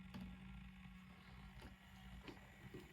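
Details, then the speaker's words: Hornby Princess Royal model steam locomotive running in reverse at moderate speed with a quiet, even motor hum and only a few faint clicks; smooth, the rattle heard in forward does not occur in reverse. "So I'm just going to speed it up a bit more. But just look how smooth it is as well. It's incredibly smooth."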